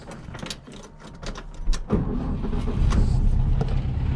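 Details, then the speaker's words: 1963 VW Beetle after Solex 28 PICT carburetor clean, air cleaner on, after drive around the block: keys rattle, brief crank, fires right up into a steady, even idle; normal start and idle. "took it around the block for a couple of spins it's really purring nice after our carb clean from the last video"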